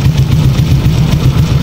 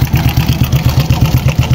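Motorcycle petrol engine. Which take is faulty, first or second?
second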